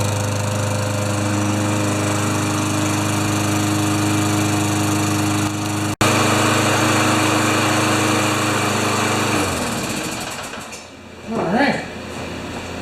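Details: Craftsman mower with a Tecumseh engine, with a cleaned filter and plug and low oil topped up. Warming up, it runs at a steady, even beat for about nine seconds, then winds down and stops. It sounds healthy.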